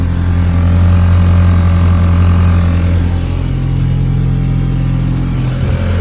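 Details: Audi A4 B8.5 2.0 petrol after installing 034Motorsport high-pressure fuel pump piston upgrade, first start after priming; firm, even note with a slight rev change, no misfire or ticking; healthy.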